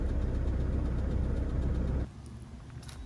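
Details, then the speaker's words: 2004 Toyota Camry petrol engine that was using oil, idling cold with a deep, fairly steady knock about four beats a second, fainter when cold; bearings suspected, not confirmed. "and it didn't stop magically knocking, so it's kind of a little more faint right now, probably because it's cold."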